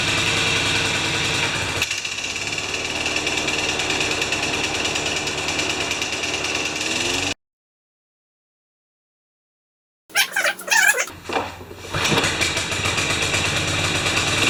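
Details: Older John Deere 14SE mower, single-cylinder engine that only runs on choke until warmed; restarted to see if it can power the blade, it chugs unevenly, cuts out, then coughs and sputters; rough running and stalling, modern fuel suspected, unconfirmed.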